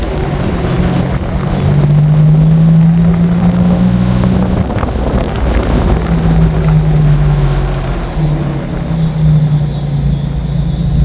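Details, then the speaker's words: 2007 Nissan Xterra, after fan clutch replacement, engine running: loud, deep steady drone like an 18-wheeler, unchanged by the new fan clutch; roaring source undetermined. "Alright guys, so I changed the fan clutch and the car still sounds like an 18-wheeler."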